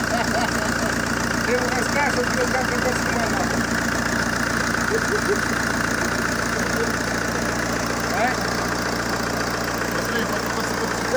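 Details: ZMZ-514 Euro 2 turbodiesel after knocking-engine repair: steady, even idle with a smooth beat and no clear knock, partly masked by background music.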